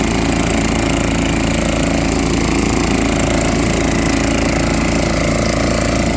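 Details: Junkyard machine on fresh gas after difficult starting, running normally: a loud, steady chug of about four beats a second, even rhythm, no misses.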